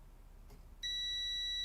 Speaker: oh it's on beep mode that doesn't measure anything of course